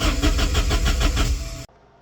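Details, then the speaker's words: 1989 Porsche 944 2.7: the starter turns over in quick, even pulses for under two seconds and it never catches. Spark is present, the fuel pump works, injectors are new and the coil is old; the suspected cause is a faulty fuel injection pressure regulator, with a replacement ordered. "the issue seems to be a fuel injection pressure regulator which a new one has been ordered hopefully that fixes it"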